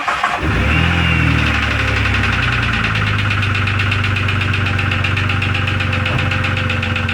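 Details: 2002 Jeep Grand Cherokee Laredo restarted in the cold after an oil top-up: cranks, catches and settles into a fast idle with a steady light ticking knock, about four per second. Source unknown; owner may have to tear into the engine.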